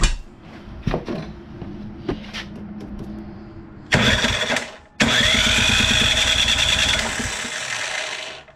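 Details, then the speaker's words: 24-inch Poulan Pro snowblower, long unused; plugged-in electric starter whirs with a high gritty whine for about three seconds after handling clatter, suspected to come from the starter cover. Abnormal cranking noise, cause not confirmed. "Well, definitely sounds like something with that cover there."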